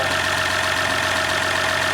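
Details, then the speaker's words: Freshly swapped 3.0L EcoDiesel in a 2019 RAM 1500, first start after engine replacement: steady, even diesel idle with smooth clatter, no knocks or misses, no leaks; healthy, runs like a car. "Like a car. Beautiful. Quite a nice engine. We got lucky this time. Nothing leaking. All good."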